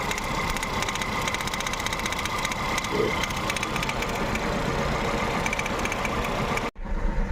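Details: Volkswagen Polo/Vento with cylinder 1 misfire (P0301), engine and EPC lights appearing at 60–70 km/h. Rough, uneven idle with a lumpy beat and irregular stumbles under ticking while the cylinder 1 cord and injector are checked; codes not yet cleared.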